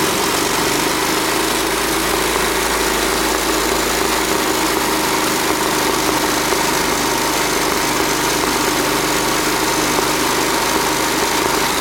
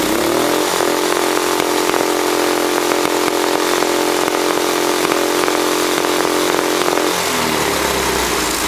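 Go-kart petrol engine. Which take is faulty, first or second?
first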